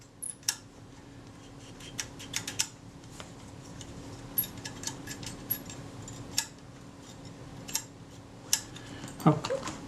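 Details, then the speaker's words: Kodak Duo Six-20 camera during repair: small metallic clicks as a lever is worked, ending in a brief rising squeak from a sticky lever pivot that should move freely; to be removed and cleaned. "this is a sticky piece here that should move freely and it sticks you can hear the squeak"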